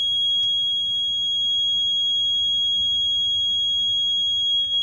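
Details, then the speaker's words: 2007 Freightliner Century with the key off: a steady high-pitched warning buzz and ticking over a faint hum, and the gauges cycled on their own when a breaker was inserted. The dash flags low voltage while the meters read 12.7-12.8 V; cause unknown, though a 15 A fuse sits where a 10 A belongs. "I don't know if y'all can hear that. But, it's a ticking noise. Now, I haven't did anything with my dash. Now it's My gauges just cycled. I'm getting low voltage."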